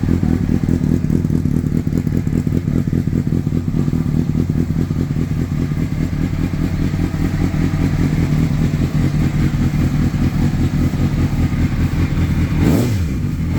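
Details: 2004 Honda CBR600RR, hard starting fixed with an aftermarket starter motor; the cooling fan fails to activate at 220–230 temperature: steady, even engine beat with a smooth low drone, no knocks or misses; normal idle.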